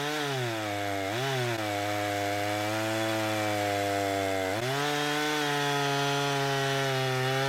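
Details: Husqvarna 455 Rancher chainsaw with about 4 hours total runtime, previously running rough after warm-up, now after ignition coil replacement: high revs holding steady pitch through the cut, dipping slightly under load and recovering cleanly, no stumbling.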